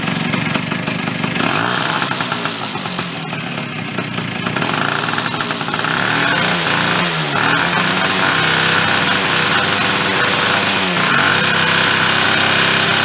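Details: Chrysler Sno-Runner snow cycle two-stroke, started with a drill; loud raspy run with sharp popping chatter on every stroke from exhaust leaking at a loose joint missing a nut, joint has lots of slop.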